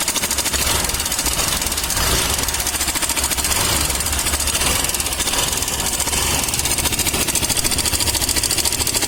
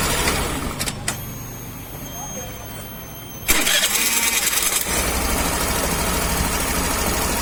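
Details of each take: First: Suzuki Access BS6 scooter, engine running at idle: a busy, sharp metallic clatter rides loudly over the idle from the top end, traced to a worn or slack cam chain tensioner. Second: Suzuki Access BS6 scooter: quiet, then the starter catches and the engine settles into a steady, even idle with no knocking or rattle; sounds healthy.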